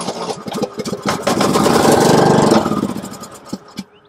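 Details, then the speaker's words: Riding lawn mower engine that spins but won't start, after a burst of starter fluid into the carburetor air intake: cranks, catches, runs about a second, then sputters out; spark and compression okay, fuel supply problem, dirty carburetor usually the culprit. "you know the spark and compression are okay, leaving you with a fuel supply problem."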